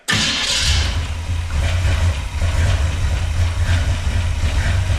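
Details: 1966 Chrysler Newport convertible, cranking after years sitting: heavy, loud starter drone grinds steadily, engine about to fire, battery struggling; starter sounds too noisy despite shim and washer attempts, cause unclear (owner suspected starter shim or looseness).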